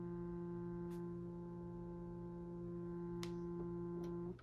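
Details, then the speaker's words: Stryker 955 radio with V6 EQ: a constant buzzing hum with a few faint clicks that cuts off abruptly. Interference from improper radio tuning. "This right here is a telltale sign that they don't know what the hell they're doing with Strykers, okay?"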